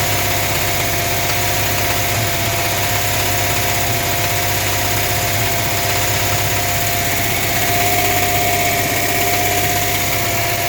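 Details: Dart petrol engine idles with a steady knock, about three beats a second, over a low rumble; cause unknown.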